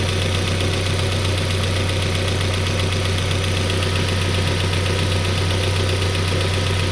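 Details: Peugeot 407 2.2 petrol, cold, Total 9000 5W40 oil: steady light tapping about four knocks a second over the idle hum. It appeared after ring replacement, valve lapping, valve stem seal replacement and idle-air channel cleaning. Cause unknown.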